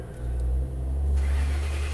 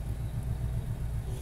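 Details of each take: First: 2011 Ford Crown Victoria cranking: steady low drone that never catches or picks up speed; crank, no start, blamed on a tripped fuel pump inertia switch in the trunk's left side panel, which resets by pressing its button. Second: 2011 Ford Crown Victoria idling: deep, steady low rumble with an even pulse and no knocks or misses; smooth, healthy idle.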